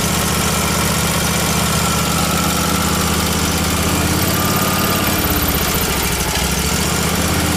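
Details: Miller Trailblazer welder engine, carbureted, crankcase-vacuum fuel pump whose suction clamp was off: loud ragged hunting beat, fine when choked; owner suspects vacuum leak between carburetor and engine or fuel delivery issue, lean running.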